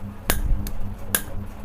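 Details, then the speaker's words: Coffee vending machine AC solenoid valve given AC supply on the bench; single clean snap on power-up, then faint hum; solenoid valve clicking normally. "देखिए ये cut की आवाज आ रही है। एक बार cut की आवाज आती है लगाते ही।"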